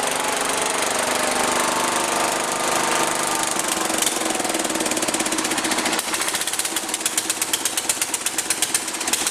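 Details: John Deere 210 lawn tractor, first run in over a year, freshly rebuilt carburettor, weak battery jumped: engine runs ragged and uneven, surging then settling into a choppy popping beat; smoking; throttle needs adjusting.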